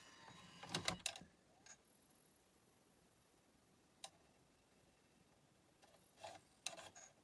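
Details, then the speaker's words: Philips CDR 802 CD recorder, second unit that previously couldn't play on the CDR side, powered on: a few short clusters of light drive seek ticks as it reads the disc table of contents normally. "okay look it red the table of contents okay that's good"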